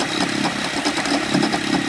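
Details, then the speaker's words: 2007 Toyota Sienna in drive with the brake on, steering at full right lock: a rough, gritty grinding from the front of the engine bay with a visibly wobbling pulley; owners suspect the belt tensioner and idler pulley. "all right honey so you can see how it's gting and making that grinding noise"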